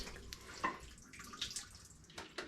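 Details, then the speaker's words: Frigidaire laundry centre washer (complaint: would not start, only lid locked) on test after repair: water splashes and trickles steadily into the tub, no odd hums or knocks; it filled with no leakage, normal fill. "it filled so no leakage everything seems okay"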